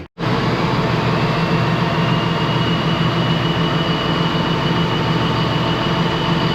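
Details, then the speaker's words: Ex-US Army Cat D6R bulldozer, 822 hours, valve cover loosely on, oil coming from cylinders: heavy diesel at high revs with uneven lumpy drone; still running rough, cylinder cutout test shows number 6 not reacting, injector not clicking hard. "So things still running rough. It's kind of hard to do with the camera and everything, but it's killing each individual cylinder."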